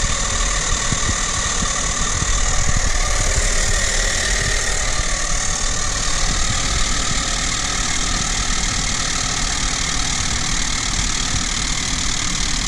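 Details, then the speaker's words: Renault Kaptur 1.6, 1 year old, 25,000 km, cold start under the bonnet: loud distinct grinding rasp with a faint whistle from the engine's right side until warm; appeared after the timing cover was resealed for an oil leak; source unclear. "есть посторонний звук на холодную из двигателя с правой стороны пока двигатель не прогреется звук громкий отчетливый"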